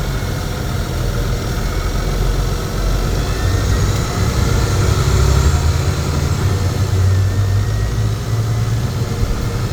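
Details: 2007 Nova Bus LFS, Cummins engine, recorded inside near the left-side engine compartment: deep, steady diesel rumble with an even beat that swells slightly and settles, healthy and smooth.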